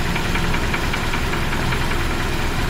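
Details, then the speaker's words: 1976 BMW 2002 E10, back on a new battery after sitting about a month, warm idle without the air pump: a steady light top-end ticking over the engine beat. It goes away when revved; cause not pinned down, owner will live with it. "top end knock there which is just I don't know goes away when you rev it a bit. Anyway, we'll be okay with that."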